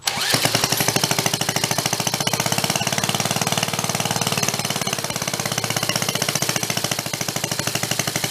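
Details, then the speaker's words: Donated reel mower not run in years, self-propelled small engine: fast uneven popping with tinny rattle on top; owner suspects blown head gasket or something rubbing, possibly magneto dragging; cause unclear. "something's making a weird noise though he got a blown head gas or it's rubbing or something along those lines"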